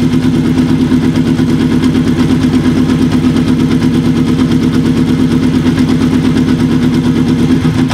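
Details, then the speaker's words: Kawasaki KZ750 four-cylinder, after new carb boots fixed a vacuum leak, carburetor mixture being set on cylinders 3 and 4 before syncing: steady idle with a slightly uneven pulse that settles as screws are set; no knocks. "already we can hear a change a nice change starting to happen already and that's even before we do a sink"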